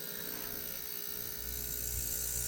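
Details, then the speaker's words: Ultrasonic cleaner cleaning parts from a free Craftsman weed wacker; a steady, high hissing buzz with fine whining tones that strengthens slightly as it settles, running normally. "All right, and all I do is hit ultrasonic. There it goes. Oh yeah."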